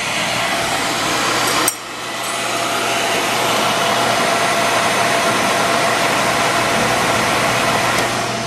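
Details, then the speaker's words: Beckett oil burner with Carlin Pro-Max control: a sharp click as the burner shuts off at the limit, then the blower's steady rush of air during a 30-second post-purge clearing fumes up the chimney and drying the head; normal. "I'm in post Purge now for 30 seconds to get rid of all the uh the fumes up the chimney post Purge we dry this head"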